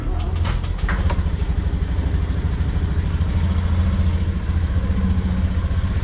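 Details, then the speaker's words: Sniper 150 motorcycle after reset and tuning done the day before: starts once without dying, steady even single-cylinder idle with no dipping, engine speed and idle now okay. "Okay siya. Okay na yung engine speed niya, yung minor niya. Okay na yung pinaka-idle niya."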